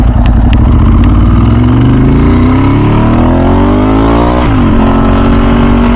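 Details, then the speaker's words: 2000 Ducati 996 SPS on the road after service, loud twin pulling up through the revs with a rough rattling edge under the exhaust; normal dry clutch rattle like old Ducatis. "It's got the the dry clutch like the old Ducatti bikes. You can hear the rattling."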